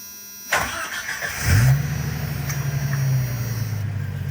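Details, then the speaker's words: Cold start of a Jeep YJ Wrangler after sitting 24 hours, just after swapping the single-port injectors for 4-port Dodge Neon injectors: a short two-revolution crank, then it catches, flares and settles to an even idle. It used to need three. "All right, that was nice. It sounded like we had the 2 ooga-oogas, and it started right up."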